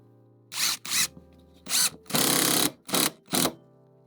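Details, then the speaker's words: Cordless 3-speed impact driver on highest speed driving a screw: sharp bursts of fast, even rattling hammer blows stopping cleanly; normal operation, still controllable to drive flush or below surface. "See how fast that is? And again, it gives you that little bit of control at the end that you can drive it exactly flush or even below the surface if you need to."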